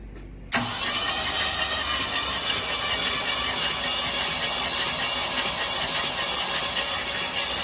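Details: 351 Cleveland V8 in a Ford Ranchero, off the road 20 years, cranking with spark plugs removed for oil pressure test: sharp click then fast even whir spinning over without firing, no knocks or grinding; healthy crank, oil pressure reached 50.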